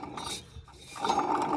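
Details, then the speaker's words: Dry, gritty grinding with uneven clicks as the removed water pump from a 1958 Cadillac Biarritz is turned by hand: chunky rough bearing, and the pump was leaking. Thermostat was glued on and the housing was badly corroded from improper coolant. "oh that sounds lovely [Music] chunky bearing yeah that was definitely leaking out of there"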